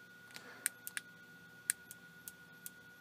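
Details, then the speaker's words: Night Owl night vision monocular with an image intensifier tube, opened up and powered on: sharp irregular clicks and snaps over a faint steady whine, suspected high-voltage arcing inside the unit causing the fault. "interesting you hear that click sounds like we might have a Ark out inside of the unit and that is what's causing the fault"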